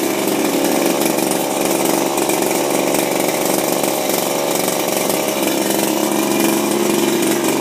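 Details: Refurbished Shindaiwa power broom two-stroke with new carburetor, gaskets and recoil, no air filter fitted: high even buzz holding steady speed, no misfire, surging or rattle; normal running.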